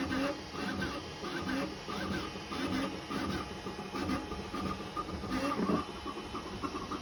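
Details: FLSUN V400 3D printer printing at 400 mm/s after lubricating the carriage roller bearings with 3-in-1 mineral oil: rapid stepper chirps and whirring moves, no carriage clicking.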